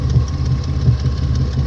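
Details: Engine idling deeply with an uneven lumpy beat, a thump dropping out every few revolutions, heard as a misfire at idle. Spark plugs are to be changed; the cooling fan is also not kicking on. Cause not confirmed.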